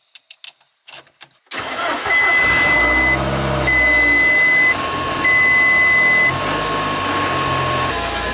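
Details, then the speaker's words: VW Polo 6N2 GTI 20V turbo 4WD on an unmapped engine, cold start: starter catches quickly and settles into a steady, even idle with chime beeps; normal cold start. "Not sure if you can hear it on camera, but it doesn't run too bad to be honest for a cold start, and it hasn't been mapped."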